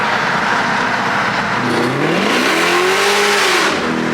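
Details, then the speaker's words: Dodge Demon 170 on E94 ethanol at altitude, on the way to an oil change: a short pull where engine pitch climbs cleanly and strongly, then drops off, with no misses or knocks; healthy under acceleration. "Oh yeah. Oh yeah. Sounds ridiculous. It's so stupid."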